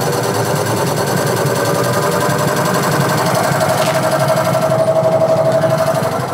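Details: Whirlpool 6.5 kg washing machine after a gearbox change and a repeated PCB failure, now running on its refitted original capacitor: steady rhythmic churning about four strokes a second, no grinding or banging; runs normally.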